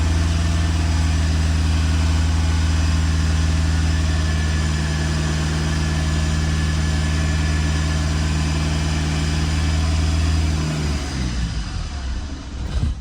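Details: 2009 Lexus IS220D, 2AD-FHV diesel, running after a fuel filter change that left the filter empty: a steady, even idle with a smooth low thrum and no missing beats for ten seconds, then a clean wind-down at shutdown. Normal idle.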